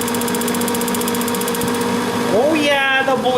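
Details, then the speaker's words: Old heater test run: fast, even ticking of the spark igniter for a couple of seconds, then the burner catches; normal ignition. "let it do a little bit of a cycle here on plane oh i like the sparking noise"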